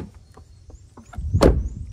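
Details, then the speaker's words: 2012 Subaru Legacy passenger door after sound-deadening material added to fix hollow sound: one short deep thud, no tinny ring or rattle; door closes solid, sounds normal. "but passenger side door now sounds completely normal"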